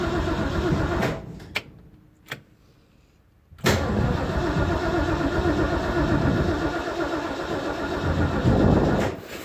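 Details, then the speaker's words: 1969 Mustang Fastback before restoration, starting up; short, broken cranking bursts as the starter seems to disengage and re-engage before the engine catches and runs rough and loud; otherwise no lumps, knocks or taps. "hear the starter motor trying to, I don't know, disengage, re-engage. There we go. So the starter motor's not happy, but aside from that, you know, she seems to run okay."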